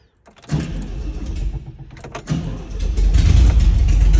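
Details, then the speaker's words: Valiant Safari wagon, engine sat a while, exhaust straight out the extractors: short quick crank, catches within about three seconds into a loud, steady low rumble; clean normal start. "there we go now you got to remember it's straight out the extractors at the moment"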